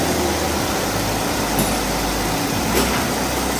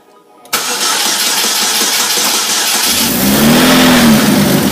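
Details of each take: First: 2008 Chevy HHR, 2.4 Ecotec block with 2.2 head, after reassembly, no codes shown: steady even hum, no misses, ticks or stumbles over faint airy hiss, briefly revved; idling smoothly, normal. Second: 2008 Chevy HHR, replacement engine of 2.4 Ecotec block with 2.2 cylinder head, first startup: cranks, catches with brief whistle, then uneven stumbling idle with ticking puffs; bad misfire and badly leaking exhaust manifold despite factory copper gasket, new gasket planned.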